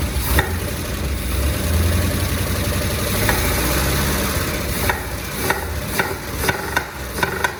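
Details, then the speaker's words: 1979 Cadillac Eldorado with Oldsmobile 350, first runs after 14 years sitting: uneven idle broken by sharp, irregular pops spitting back through the carburettor; cause unknown. "Not sure why it's popping through the carb. But, she definitely runs."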